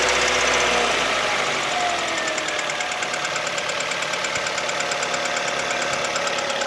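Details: Kia Ceed at warm idle: a steady light ticking knock, about three per second, with top-end clatter. It knocks only when warm, not cold; valves were adjusted and are within tolerance, so not valves. Source unclear.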